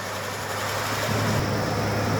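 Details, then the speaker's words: 1989 Ford Ranger XLT engine, sat since January 2017, first start in almost a year: smooth even idle, steady low hum, no ticking heard; normal idle. "I don't hear any ticking noise."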